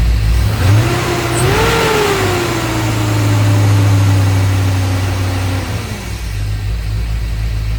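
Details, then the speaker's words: LS V8 truck with a big cam, after drilling the throttle body blade to add idle air to cure cam surging and bucking: a short blip, then a steady, even lumpy-cam idle with no surging or hunting. Normal, healthy idle. "If you watched any of my videos, you can tell it sounds a lot better. Just by a little bit of air. Just got a healthier idle note."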